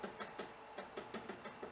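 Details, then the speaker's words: Hyundai Elantra with a front-suspension knock over small bumps, strut top mount removed and turned by hand: notchy click about every fifth of a second, rollers flat-spotted; worn strut top mount bearing. "потянет уже все нужно что ролике уже не круглый и квадратный"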